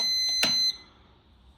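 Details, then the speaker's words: Jump booster pack connected to a Vauxhall Astra J Copart rebuild that had no power and would not start; it gives a high steady beep, stops, then beeps again, meaning it refuses to deliver current. Jump booster no-output warning beep. "Right, so that means it doesn't want to give it current, which means that's not a problem."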